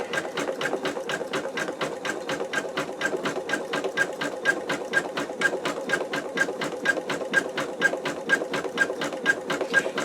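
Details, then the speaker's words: Embroidery machine stitching out an in-the-hoop wallet: rapid, even needle stitching with a faint high chirp each time the embroidery arm moves, attributed to the arm needing lubrication. "kind of hear that little chirp that the when the arm moves I when I was talking about earlier about lubricating your arm that's what that's that's what I was talking about"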